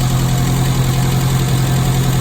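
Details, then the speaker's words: Classic Mini carburettor engine after Gunson Colourtune mixture and idle adjustment, blue plug flame: smooth, even low hum at steady idle around 900 rpm, no misses or knocks; sounding nice, running cleanly. "So idle, you want about 900 RPM. Sounding nice."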